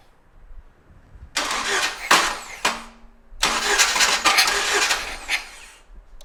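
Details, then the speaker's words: 1997 Jeep Wrangler first cranking after starter install: short bursts of starter cranking with a scraping metallic rasp over the whir; shield around the transmission suspected to be contacting, to be adjusted with heat. "We may have to make an adjustment to the the shield around the transmission down there. Sounds like the shield is uh contacting somewhere."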